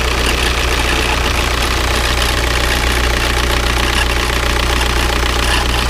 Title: Škoda Octavia 1.9TDI 81kW problem - strange noise/ damage